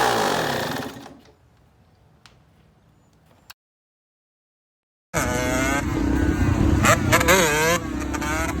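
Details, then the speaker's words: Yamaha YZ125 two-stroke dirt bike, possibly needing a top-end rebuild, idle screw being readjusted after being turned too far in, during a heat cycle: crisp ringing buzz rising and falling cleanly with throttle, firing evenly. Normal running. "so it does run it wasn't starting at first because the idle screw was turned way in and as soon as i crank it up the idle just went sky-high so i have to adjust the iris screw"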